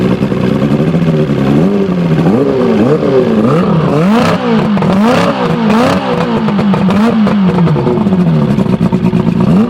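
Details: Evinrude Starflight 100hp two-stroke outboard on mixed gas, ignition advancing with throttle: crisp blips rising and falling cleanly, settling back without stalling; runs strong and healthy.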